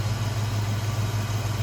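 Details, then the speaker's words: 1966 Ford Mustang convertible, 289 V8 with automatic transmission, idling in stock engine bay: steady, even low rumble with a smooth regular beat, no ticks, knocks or unwanted noises; smooth runner, normal healthy V8 idle. "Smooth runner, good sounding car."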